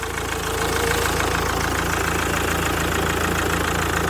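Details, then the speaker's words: 2004 Mazda 6, 2.0 MZR-CD diesel, first start of replacement engine after original knocked, no coolant yet: smooth even idle, steady low beat, no knocks or rattles; engine healthy. "Прекрасно, тихенько, чтко, влучим."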